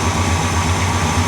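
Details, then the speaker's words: 1965 Cadillac V8 started after a driveway breakdown: smooth, even low rumble with no knocks or misses. Idle slightly too high and it dieseled earlier at shutdown, so the idle is being turned down. Normal healthy idle. "I want to try to start it up real quick. Man, it actually sounds good, doesn't it? She does. She sounds healthy."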